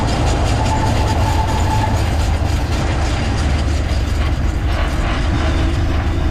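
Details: Jeep Wrangler JK while driving: steady rapid clicking over heavy low road rumble, suspected to come from the rear driveshaft, not confirmed.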